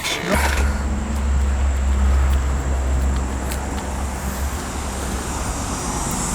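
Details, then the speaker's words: Goodman AC outdoor unit not cooling the house: heavy low hum that never picks up into a running compressor; compressor failing to start, technician suspects the capacitor, not confirmed. "all right so I was trying to start you hear it the compressor is trying to start but it's not it's probably a capacitor probably something simple"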